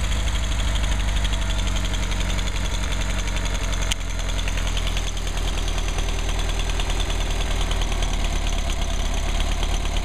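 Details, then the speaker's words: 1959 Mercedes 190c engine on test after final tuning, timing 38° max total advance: steady even low idle with a faint light click click click, temperature stabilizing as thermostat opens; normal idle. "nice idle sounds good sounds good yeah got a little click click click"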